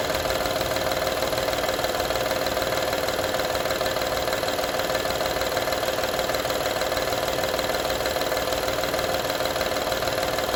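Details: 2012 Honda Odyssey engine at steady idle: fast, fairly even rattle, about three beats a second, over the engine hum; engine rattle at idle, source unclear.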